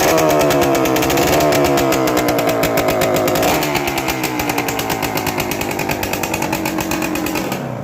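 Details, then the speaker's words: Two-stroke motorcycle, parked for one to two years, started before restoration: crisp, rapid crackle with even firing, a brief rev dip then steady; engine sounds tight and healthy, possible exhaust leak mentioned; normal idle. "เครื่องแน่นเครื่องแน่นใช้ได้"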